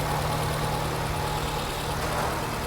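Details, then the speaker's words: 2010 Nissan Cube just after a cold start, engine coolant at 131 degrees, idling at about 1150 rpm with the O2 sensors reading slightly lean: a steady, even fast idle with a smooth low drone and no knocks, and the rpm drops as it warms up. "as it's warming up the rpms are going down"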